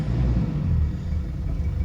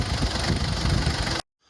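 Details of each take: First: 2004 Mazda B2500 diesel after fitting Synergy 4 tuning box, still cool, running 50/50 diesel and vegetable oil: low even diesel rumble at steady tick-over, no knocks or misses, slightly rough; normal diesel idle. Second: 2004 Mazda B2500 diesel idling on a vegetable oil and diesel mix before a Synergy 4 tuning box is fitted: an uneven, lumpy tick-over with a slight stagger, attributed to the fuel mix, though quieter than before. Rough idle.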